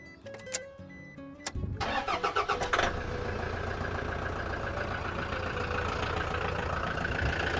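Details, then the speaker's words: Truck-camper engine with a freshly changed air filter; brief cranking, then a steady, even idle with no squeak or squeal — normal start and idle. "Sounds good, no squeak. Air filter's been changed as well, so that's good. So the engine looking really good."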